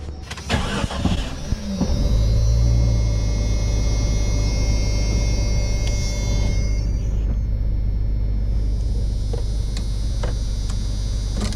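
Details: Jeep Cherokee just after its water-damaged alternator was replaced, battery not fully charged: the engine cranks briefly, catches quickly and settles into a steady, even low idle with no knocks or squeals; a normal start, and it is now charging.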